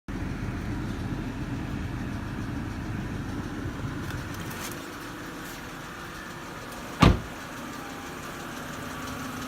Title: 08 e90 N52 lifter tick